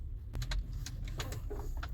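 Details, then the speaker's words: Audi Q5 8R front suspension squeaks and creaks over low cabin rumble when braking on rough road, only on bumps, sometimes also steering on bumps; began months after replacing all front suspension bushings (Febi large bushings). "Скрипы на Audi Q58R при торможении. При торможении на неровностях. Только на неровностях."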